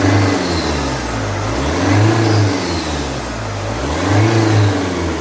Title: If you hear this noise from the engine when accelerating, you have an intake air leak. Opel 1.9cdti